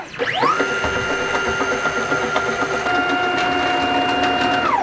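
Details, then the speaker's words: CNC machine Y-axis SFU1605 ball screw before ball-nut replacement, gantry moving toward front: stepper whine with irregular light rattling knocks; ball nut not packed with enough ball bearings. "in this video I'm going to replace a bullet from one of the ball screws on my machine after noticing a rattling or knocking noise while the gantry moved towards the front"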